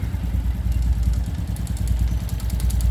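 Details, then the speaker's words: Honda Pop 110i motorcycle engine at idle: loose, uneven metallic clatter about three times a second from a coin that fell into the engine area. "o barulho bravo né olha o que é é no motor Pense aí a moeda caiu daqui de dentro na hora de trocar o dinheiro com o frentista do posto"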